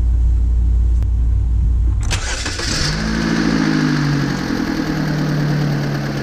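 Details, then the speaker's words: 2002-2007 Saturn Vue 2.2 L, first start on new spark plugs gapped to 0.045 in after coil pack replacement for misfire: brief crank, catches cleanly, smooth even idle with no miss or stumble; misfire cleared. "How smooth that is. Cleared it right up. Cleared it right up."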